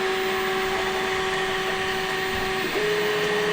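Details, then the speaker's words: Flashforge Finder Lite 3D printer (SD-card version) on its first print, extruder at 215°C. Steady fan whir with soft stepper tones shifting as the head moves, no grinding or clicking. Normal printing. "So there you go. It's printing away."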